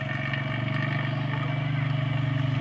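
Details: Petrol engine idling smoothly with a steady low hum and even pulsing, no rattle. Heard after cleaning, during a vacuum leak check in which the earlier rough rattling sound no longer returned.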